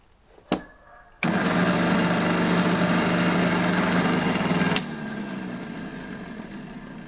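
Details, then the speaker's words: Motor from a Soviet Czajka vacuum cleaner, likely Czajka 3 from the 1970s, before repair: harsh, uneven hum and rapid rough knock, then cut off; turbine-side bearing found with cracked cage; motor knocking and running roughly. "Myślę że znalazłem przyczynę tego dlaczego ten silnik się blokował i tak bardzo nieładnie pracował mianowicie tutaj od strony turbiny jest łożysko SP pękniętym"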